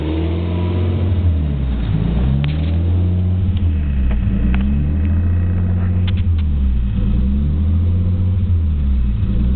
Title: S13 rb20det rough idle